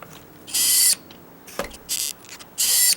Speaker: that's what that noise was is this paper getting right there stapled on there nothing now that's what it was look there just that little piece of paper